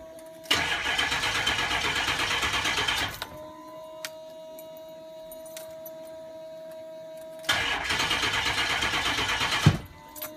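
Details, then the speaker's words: Ford 6.0 Powerstroke diesel, cranked with throttle held to the floor: two short bursts of sluggish, uneven cranking at about three turns a second, dragging on the starter because the batteries are too weak. "not going to go through because the batteries are too weak. Okay, that truck, the battery was dead, so I went over here to another one."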